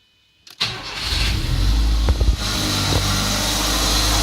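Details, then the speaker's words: VW Gol G3 just after start: engine settles into a fast idle with a constant hiss and whir on top that never stops, the throttle body (TBI) idle motor seemingly hunting for its setting. "minha tv está fazendo barulho oligo carro ela parece que estava reconhecendo sei lá ficar pra fazendo barulho direto"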